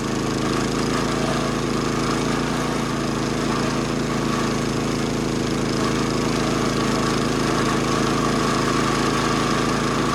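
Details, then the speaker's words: 70-year-old National reel mower with Clinton single-cylinder engine, after new flywheel, points, tank flush and carb clean, mowing grass under load: steady, even buzz, no misfires, knocking or flywheel-cover noises; running smoothly. "No more unhappy noises from underneath the flywheel cover. No more uneven running from the iffy spark."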